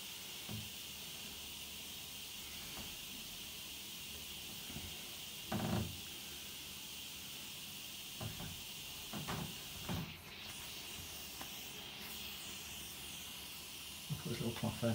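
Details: Domestic central heating radiator being bled after valve replacement: steady soft high hiss under a few clunks as trapped air escapes through the bleed screw until water comes through.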